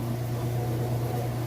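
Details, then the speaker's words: Kenmore washer at full speed on final spin after draining: steady, even low hum with no knocking, thumping or wobble; smooth, healthy spin cycle. "alright and we're back full speed on the spin cycle you can see it's nice smooth operation it sounds great"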